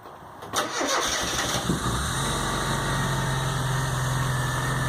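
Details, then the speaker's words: 1997 Rover Mini Cooper MPI, previously non-starting due to a fried MEMS ECU, now fitted with a replacement ECU coded via T300; cranks briefly, catches first time and settles into a steady idle, first run in over a year, idling slightly high. "it's alive fantastic so I've got a running gun outside the first time in well over a year seems you running all right idling a bit high"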